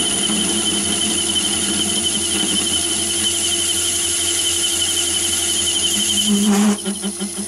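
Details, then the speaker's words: Myford ML7 lathe with a large 125mm chuck: shrill wavering chatter over the lathe hum, likely from radial free-play overhang and movement on the spindle thread. "so that last cut was 110th hour overall and you could hear it chattering there with that one and now i'm going to put up the four inch chuck and test that one"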